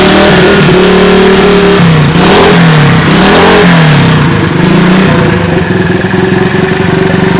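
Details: Honda CB 100 single-cylinder motorcycle revving up and down with a harsh, gravelly edge at high rpm; rough top-end noise, owner suspects worn camshaft and valve rocker arms, to be repaired later.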